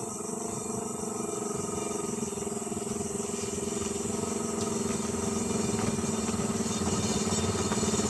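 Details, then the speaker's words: Suzuki Carry 1000 pickup fitted over a year ago with a Thunder 125 motorcycle engine, warming up at idle: a steady, even, fairly quiet single-cylinder idle with no knocks or misses, smoother than before, running normally. "Nah, bagaimana teman-teman? Suaranya lebih halus ya. Jadi masih suara motor teman-teman"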